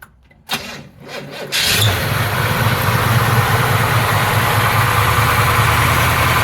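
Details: 1968 Camaro convertible, cold February start, engine at 46–47°F, 39°F ground: quiet cranking for about a second, then it catches and settles into an even, steady idle with no misses or knocks; healthy cold start.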